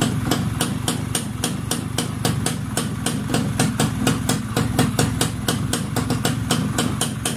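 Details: Yamaha Y100 two-stroke after fitting an Uma Racing coil and plug and servicing the silencer: a crisp, fast popping beat near four per second over a low rumble. Idles evenly and sounds healthy.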